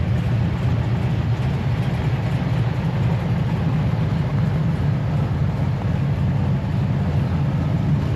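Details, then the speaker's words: V8 with new cam and lifters, stock torque converter with 2000 stall, after engine reinstall: deep, steady, slightly lopey idle, no ticking or knocking; quiet, normal idle. "it is way quieter under the hood now. Actually like like it. Actually approve these lifters so far and I approve the cam. It just sounds good."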